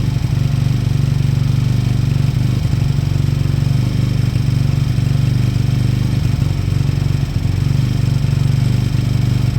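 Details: Beaten-up old Lexmoto motorcycle, many parts missing, idling after revival; steady single-cylinder thump with even rhythm, no clatter or misses. Fuel then turned off, engine judged great, needing only new oil and a small service. Normal idle.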